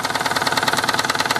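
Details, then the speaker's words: Mamod SE3 toy steam engine running under steam after a clean-up: a fast chuffing knock, about a dozen beats a second, with a hard clattery edge, running a bit rough like a diesel; the owner questions whether the crank or valve setting is right. "go sounds like a diesel M it"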